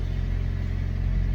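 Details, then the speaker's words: Older car that sat a while, fuel pump suspected of not holding pressure and sometimes making weird noises when cranking: fires right up, smooth low rumble with an even beat and no pump whine or buzz; runs normally. "we're gonna try to start this and see if we can hear that pump sounds fine fire's right up"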